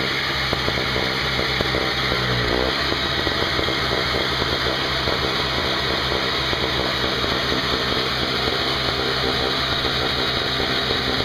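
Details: Craftsman 5hp 21" two-stroke snowblower test run outdoors after carburetor repair (leaking fixed), 20:1 fuel mix, not started in a while: steady buzzy drone at even speed, no misses or knocks; running normally.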